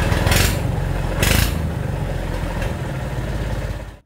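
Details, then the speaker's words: Tractor straight-piped after muffler rusted off at the weld while dragging debris with rake; loud, raw, crackly exhaust bark with uneven pulses over low rumble; missing muffler. "Well, the muffler rotted off and just broke off when I was in the woods dragging a bunch of debris and small trees around with the rake. It has been obnoxiously loud being straight piped, and I'm tired of it."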